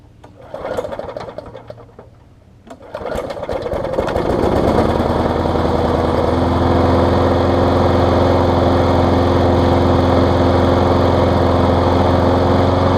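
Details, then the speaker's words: Craftsman push mower found at a dumpster: fires after a couple of pulls and settles into a smooth, steady, quiet drone with no misses or surging; normal running. "[Music] running great Michael quiet mower too"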